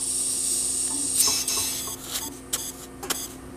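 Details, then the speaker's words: GE Monitor Top Type CA refrigerator float chamber, empty, air hose injecting air before repair in normal position where it should block; steady high hiss leaking past the needle seat, then handling knocks; float needle valve bypassing. "can hear that, it's bypassing. So if I can stop that from happening, then the fix is a success."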